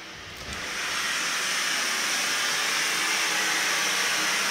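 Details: Kohler K9 steam generator that had thrown error 5, under repair, with fittings still only hand-tight and leaking at unsoldered joints. A steady, even hiss of steam builds in the first second and then holds smoothly. It boils and steams normally.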